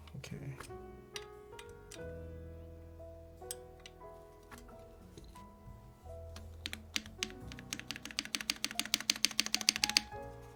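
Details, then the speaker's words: Tiamo keyboard, aluminum plate, lubed milky Gateron Yellow switches with Krytox 205g0, lubed PrimeKB stabilizers, typed without the aluminum bottom after tightening: quick, crisp clicks with music behind, no rattle anymore; healthy. "I mean, that sounds not, there's no rattle anymore."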